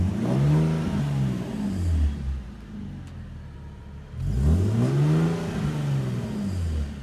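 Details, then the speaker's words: Nissan 370Z, warmed up, new NISMO true-dual exhaust with 1320 test pipes replacing rattling stock system: deep note swells twice to about 4000 rpm and drops back cleanly, slight test-pipe rasp on top, much deeper than before; healthy exhaust. "Oh, that's happy. It's so much deeper."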